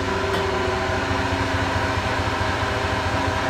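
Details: 2001 Dodge Ram 1500 4x4 idling in 5th gear: a loud, heavy, uneven low rumble pulsing about ninety times a minute from the rear under the engine drone. Both wheels wobble with some play; owner suspects a bad differential.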